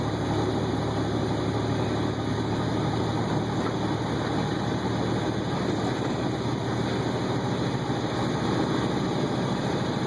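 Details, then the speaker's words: Loaded 2009 International ProStar semi truck hauling to GM in Defiance, Ohio: steady deep diesel drone under load with an even, smooth turbo hiss, no whistle surges or rattles; normal turbocharger spool. "I'll let you hear the turbo here."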